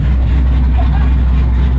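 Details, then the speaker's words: 2009 Ford Mustang GT V8 with newly installed BBK long-tube headers and Ford Racing axle-back exhaust: low even rumble, steady and smooth with no knocks, rattles or misses; healthy exhaust note. "The BBKs are nice and smooth. And she sounds good."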